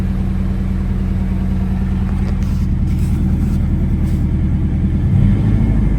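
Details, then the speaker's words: Chevy S10 after replacing bad injectors and fuel pump (had a hard-start/no-start; earlier miss traced to bad valves): engine now starts and revs smoothly, fuel pressure rising with throttle; normal revving. "Now when I press the gas, the pressure actually increases now."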